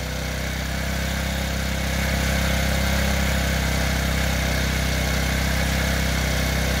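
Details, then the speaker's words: TaoTao 50cc four-stroke Chinese scooter with a replaced carburetor, idling: small single idles, then revs climb over a couple of seconds and hang high before dropping back, and the rear wheel starts spinning; idle surging, cause unknown (owner considers checking the valves). "you'll see that it'll idle really high and then the hover idling high for a while and then go back down"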